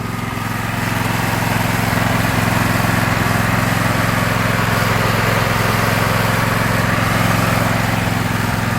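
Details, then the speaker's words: 2016 Husqvarna LGT2654 lawn tractor with K-46 transaxle, started without choke: a steady, even single-cylinder putter with a smooth low drone, no misses or knocks. Engine runs clean and healthy, smooth throttle. "we're gonna fire it up for you i've never had to choke it and it starts right up with no problem the throttle is smooth definitely has a good sound to"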